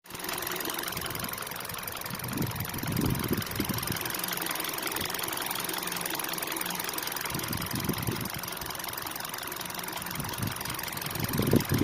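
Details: 2012 Kia/Hyundai with manual gearbox, just over 100,000 km: fast light ticking over a steady idle, about three to four ticks a second, present both cold and warm; cause unknown.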